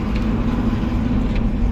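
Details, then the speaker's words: Steady engine drone and road rumble while a dump truck drives with extra leaf springs added; no knocks or pops over bumps, heard with window open, and the leaf springs ride quietly. "ดูนะมีไหมแบบตีกันเสียงดังไม่มี"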